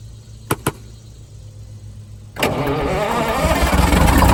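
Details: Detroit Diesel 6-71 first start after new 4-valve head install and Davco 382 fuel filter, fuel primed via auxiliary electric pump; two clicks, catches at once into steady even diesel clatter; clean start, oil pressure good, governor oil leak from missing bolt.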